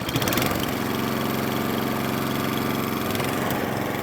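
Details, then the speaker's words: Atco Balmoral cylinder mower, unrun for 9 years, started first pull; small fuel leak at a loose screw: small single-cylinder engine chugs at a steady, even beat with no misses or hunting; healthy. "picked up a machine that hasn't been run for nine years and now up runs and it started first pull"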